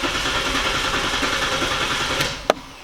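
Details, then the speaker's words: Saturn L300 no-start; service engine soon, fuel, airbag lights on, fuel gauge dead, not out of gas. Starter churns about three to four turns a second with no firing; cranks but won't start, cause unknown. "just cranks like that so I will take you to hear the sound"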